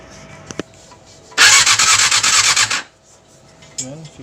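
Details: Yamaha R6 with a hard-start issue: about a second and a half of fast, rasping starter cranking with regular pulses, then it cuts off without the engine catching.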